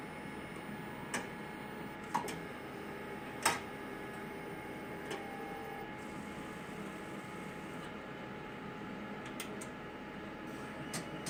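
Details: XR-640 after repair, November 28, 2018: sharp irregular clicks over a steady machine hum, coming and going; intermittent clicking noise returned.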